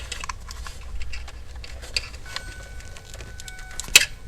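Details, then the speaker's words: Early Fox-body Ford ('79) with later '89-style chime module swapped in place of the original buzzer: thin steady chime faint under handling clicks, much quieter than it should be; owner suspects the module is worn out rather than wiring. "oh can you hear that it works however it's not very loud but i don't think that's a component of this"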